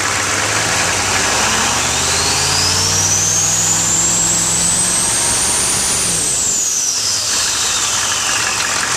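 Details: 1995 GMC Suburban 6.5L turbo diesel after HX35 Holset clone turbo upgrade, warm, revved: deep rumble with bright whistle climbing sharply with revs, dropping on release; healthy diesel with turbo whistle.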